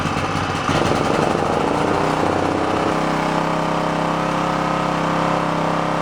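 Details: Onan K450 portable generator, yard-sale unit that sat a long time, warming after choke start while air-fuel mixture at the back is adjusted: rough, uneven at first, then settles around three seconds into a steadier, smoother hum.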